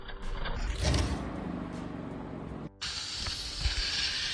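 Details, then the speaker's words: Engine running with rough ratcheting belt clatter; owner did own work and belt keeps coming off while driving, found routed the wrong way around the water pump. "Customer states, I did some work on my car and now the belt keeps coming off while driving. The customer did the classic move of routing the belt the wrong way around the water pump."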